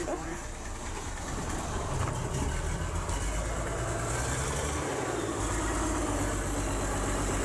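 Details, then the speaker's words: Bus diesel engine after fitting a new 5.5 kW starter motor, running on its own fuel supply: catches and settles into a steady low idle with no grinding or stalling; new starter works. "she lives [Applause] listen to that turtle [Music] so"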